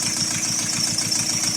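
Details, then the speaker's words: Chrysler Voyager 3 diesel idling after glow-plug start, before oil pan cleaning and engine flush: quick even ticking over the engine, a hydraulic lifter tapping; knock often intermittent. "Ну, а пока дадим мотору поработать минут 10. Четко слышно, как стучит гидрокомпенсатор."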